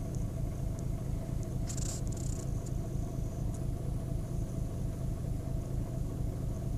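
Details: 2010 VW Golf 1.6 BlueMotion diesel, on starting: lumpy, uneven low pulse about once a second, the engine shaking rather than running smooth; rough idle.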